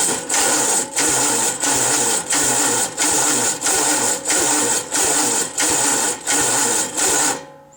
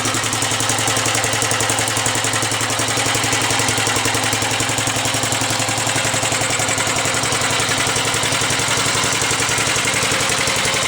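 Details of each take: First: 1945 Gravely L at first start-up after fresh oil and bleeding the oil lines: slow, labored starter cranking at about 90 strokes a minute with no firing; starter suspected not spinning it fast enough, later pull-started and ran well. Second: 1945 Gravely Model L single-cylinder tractor runs after being strap-started, with a crisp, even slow putter and no misses; the starter struggled because the gear was engaged. Normal idle.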